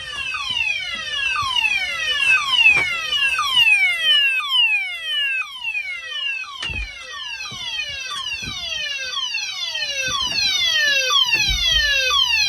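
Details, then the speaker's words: Monthly test of a Cyton CB1 conventional fire alarm panel in full alarm with DIN tone and coding; loud falling sweeps about twice a second in a steady coded pattern, so sounders and coding relay work normally. "Works. Device in here works. Seems like the bell works as well."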